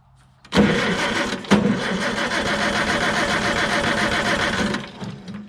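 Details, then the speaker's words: Farmall Super C tractor with points ignition, no-start: about four seconds of steady starter cranking with plug wire held near metal, engine never fires; no spark, traced to ignition points stuck closed. "we've got no spark there okay so the next thing then when a check is with my voltmeter I'm gonna check to see if I've got good DC voltage at my coil"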